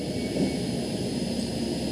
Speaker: listen down there I can hear air and both of them more prominent in the dipstick hole so what that's telling me is there's air leaking past the piston rings and into the motor